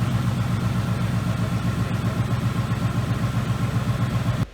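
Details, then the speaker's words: 2018 Ford Mustang GT, first start after a new engine install with a large Mishimoto radiator and high-zinc break-in oil, warming up: deep, even idle with a steady low pulse of about four beats a second and no knocks or ticks; normal idle. "guys we're just gonna let the car run in warm up for a little while she's running good let's get some heat it and see what she sounds like"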